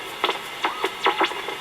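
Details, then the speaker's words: Dynatron Tourist radio under restoration, working but insensitive: whistling tones sweep up and down between stations in quick wavering bursts, an oscillating warble; nothing on long wave either, capacitors almost certainly suspected. "it's making a funny oscillating warbling noise in between."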